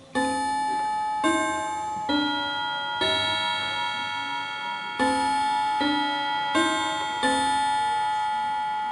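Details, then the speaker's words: Antique Davison Bros London chiming clock, just switched from silent back to chime: bell-like notes strike in uneven, wrong order as the chime train catches up with the time; normal after switching, not a fault. "so you notice that it sounds completely wrong and it's not it's just basically trying to catch up with the system so because you've brought it in from Silent"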